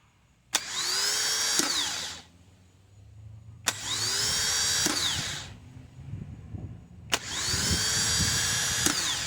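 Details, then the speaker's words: Replacement starter for a 2002–2006 Toyota Camry 2.4 L, bench-tested before installing: three short spins, each a high whirring wind-up with harsh internal grinding and a clack. The new starter is defective inside and will be returned. "Something is wrong with this starter. It's making a horrible noise inside. That's not supposed to happen. This one is also defective."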